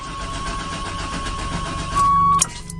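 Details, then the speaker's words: 1996 Chevy Tahoe bought sight unseen, smelling old: steady starter cranking with an occasional random kick, but the engine never catches. Fuel pressure is building, and it seems to want to start. "there it goes again it's kind of wanting to let's see if there's a fuel pressure again honestly I think it's just going to I think it's going to start but it's just taking it sweet time"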